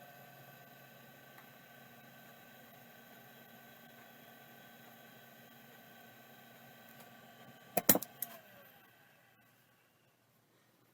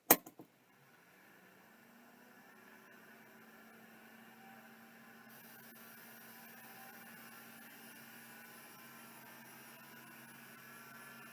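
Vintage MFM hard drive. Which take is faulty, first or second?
first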